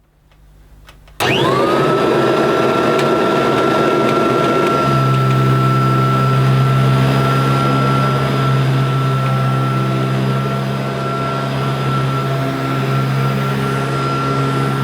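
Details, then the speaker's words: Kirby Tradition upright vacuum running on carpet after fitting a new brush roll: a steady high motor whine with a low brush hum, sounding healthy and slightly better than the old brush roll. "that does sound better to be honest I think it does sound slightly better than this do you think so"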